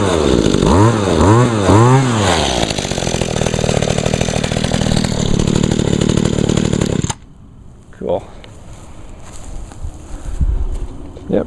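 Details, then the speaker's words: Echo SRM 2201 trimmer (21.2cc two-stroke, 50:1 mix), cold-started on choke with primes: it revs crisply, then settles into an even, steady buzz with no misses before shutting off. Normal running. "she runs real good"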